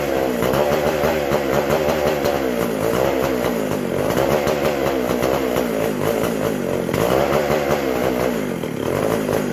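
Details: McCulloch SP125 chainsaw: revs up and sags in uneven surges, never settling, lean; carb not drawing fuel or pulsating, owner unsure the sealed gas cap vents the tank; a large carb-to-intake gap was later found.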